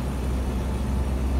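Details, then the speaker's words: 1976 Land Rover Series 3 109-inch, 2.25 petrol, driving: loud deep steady exhaust drone from an exhaust with holes, rusted through, blowing at the manifold, plus a stripped manifold stud botched with a too-long bolt; recorded before fitting a new exhaust. "It's noisy, as you can hear. Well, today I'm dropping it off to get a new exhaust fitted, because the one fitted is somewhat, not a lot of steel left."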